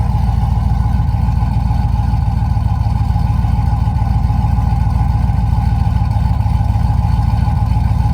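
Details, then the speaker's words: Rebuilt Tahoe V8 with BTR V2 stage 2 cam, LS7 lifters, long tube headers, replacement machined heads, stock converter; deep lumpy idle with rhythmic lope about three beats a second, fairly choppy for a stock-converter-compatible cam; normal choppy cam idle, drives well. "Yeah, for a cam that's compatible with the stock converter, it's fairly choppy. It's pretty impressive, and it drives really well too."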